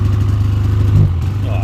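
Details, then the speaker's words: 2016 Polaris Indy 600 SP two-stroke snowmobile at first start before repair: uneven popping, lumpy beat, sounding like only one cylinder running; suspected fouled spark plug, plugs and compression to be checked. "uh yeah it sounds like this thing's only running on one cylinder here uh that ain't good either"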